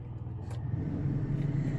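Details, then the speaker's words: Predator 11500 W tri-fuel inverter generator, first 3 hours, heard from inside motorhome: steady low hum whose pitch and loudness rise slightly as an air conditioner switches on; inverter generator speeding up under load. "And you could hear the generator change tone a little bit."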